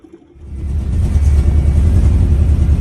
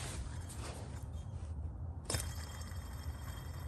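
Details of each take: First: Car with generator light problem, idling after the charging-system fix: steady low, even rumble with no knocks or squeal; no more red generator light at idle. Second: Car engine running with generator light issue: low steady rumble with scattered dry ticks from the generator; both generator bearings judged bad, owner plans to replace the two bearings rather than the generator.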